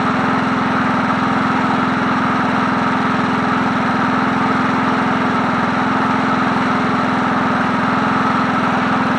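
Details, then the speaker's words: 1981 John Deere NO20K push mower, original Champion spark plug, tilted up and started: smooth steady idle drone with no misses, knocks or hunting; running as it should, carburetor needs no work. "That idle's smooth. Not bad for an oldie, but but a goodie. Man, that thing sounds good for a 1981."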